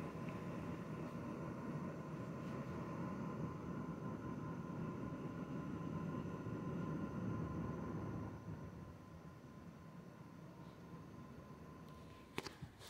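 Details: Zotac RTX 4090 graphics card fans set to 40%, recorded on phone mic that picks up room noise; steady even airy whoosh with no ticking, rattling or pulsing, normal fan noise.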